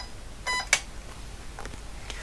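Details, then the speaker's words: Vintage IBM PC at power-on: a short, shrill PC-speaker beep then a switch click, a POST error because a faulty chip in the stacked RAM bank leaves no usable RAM found and the rest ignored. "Um and that's because it's testing the first um bank finding that there is no usable RAM there and it's just ignoring the rest of it."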